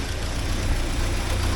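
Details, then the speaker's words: 1979 Porsche 924 after timing belt repair: steady even low idle hum with no ticking or flutter; engine sounds healthy, belt now running centered. "that seemed to work that F and I'm happier with that I like the I like that it's better on the CER that's a better spot for y that fixed"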